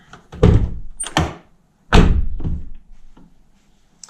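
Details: 2009 Nissan R35 GTR driver door, after fix (door card refitted): two solid thunks dying away cleanly, no buzz or rattle; door now quiet.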